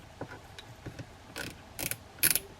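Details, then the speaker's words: Daiwa Lexa 300HL baitcasting reel after cleaning and reassembly: short bursts of crisp, rapid ratcheting clicks getting louder each time, the clicker working normally. "And now you can hear that noise maker."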